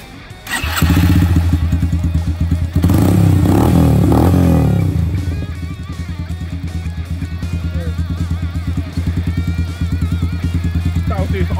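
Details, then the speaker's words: Fuel-injected Yamaha YBR125 just fitted with a 150cc big bore kit, air filter out, idle screw turned up: a single rev settles to a raised idle with light, fast ticking. Slightly tappy top end; owner thinks it's fine and may have sounded like that before. "No, it is a little bit tappy to be fair. A little bit tappy, but that should be fine."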